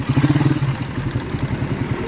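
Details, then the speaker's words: Recently bought motorcycle with 30,000 on it, checked before a long trip: rough, uneven clatter over a low exhaust pulse, louder at first then steadier; the mechanic says it is not normal, cause undetermined. "Pero may tunog to sir eh. Pero ito, pwede nating dukutin, nasa sa inyo. Talagang hindi siya normal. Para sa rider na tunog, hindi normal."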